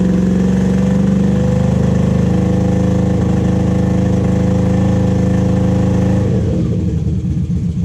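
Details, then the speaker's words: 1986–87 Honda Super Magna four-cylinder motorcycle that sat in a field about 10 years: lumpy, stumbling, smoky idle with misfire that briefly smooths, not all cylinders firing. "It's idling. Hopefully all that smoke will go away."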